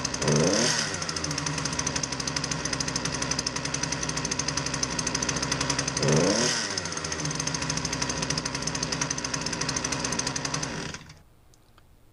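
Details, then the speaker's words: Poulan Pro PP338PT consumer pole saw, 33cc two-stroke, with a customer complaint that it runs poorly. It buzzes unevenly, surges twice and cuts out, unable to hold a steady speed; rough running, cause not yet diagnosed. "So the customer was right. It doesn't run very well."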